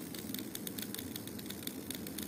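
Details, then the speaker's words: UHER Report 4400 tape recorder running quietly with rapid light repeated clicks, a few per second. Motor starts and stops because the motor control board (germanium transistors, capacitors already replaced) is failing; not fixed. "so I don't know if you can hear a clicking noise uh and it not working correctly it's making this clicking noise and it starts and stops"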